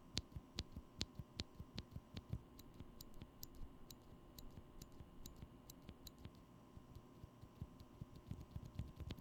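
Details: Glorious Panda switch with lubed leaf spring, excess lube brushed off contacts: even clean clacks from repeated keypresses with no metallic tick after each stroke; normal switch sound.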